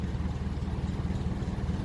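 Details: 1957 Ferguson 35 TVO tractor, idling around 600 rpm after governor work, with better rocker shaft and reset valve clearances; slow, even low thump, steady without stumbles; normal idle.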